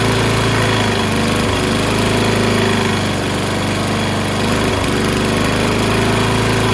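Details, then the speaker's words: Toro Recycler mower, Kohler XT675 6.75 engine, just after rusty flywheel brake cleaning and fouled plug cleaned: steady drone with slightly uneven beat and occasional stumbles, light muffler smoke; owner blames months-old gas. Rough running. "Sounds not as smooth as I'm used to, but it's probably due to the ass gas that's been in there for months. So we can just burn that off."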